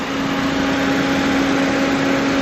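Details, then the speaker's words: 2025 Toyota Vios 1.3 XLE CVT, petrol, 3,139 km, repossessed, engine described as very quiet: smooth idle with a steady faint hum and fan whir, no ticks or knocks; normal idle. "Yan, tahimik na tahimik yung engine."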